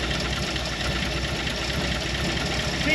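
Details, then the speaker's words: Early-1960s Ford F100 unibody, abandoned in the woods 25+ years, on first start with fuel fed by hand into the carburetor. Uneven, lumpy idle with loud exhaust rumble that clears up; oil pressure about 60 psi, exhaust leak, noisy lifters. "PSI oil pressure it sounds terrible it's clearing up 6 cpsi oil pressure woo I can't believe this thing's idling"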